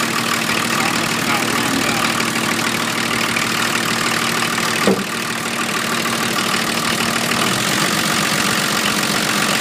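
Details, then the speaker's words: 1980 International Scout II with factory Nissan SD33T turbo diesel, first run after rebuild, cold idle about 750 rpm settling down: loud hard clatter, louder than others; owner unsure if due to cam. "it's idling right now at about 7500 and teetering down because it's still cold so uh that's what it sounds like it's pretty loud compared to some of the others that I've Just Seen on on YouTube"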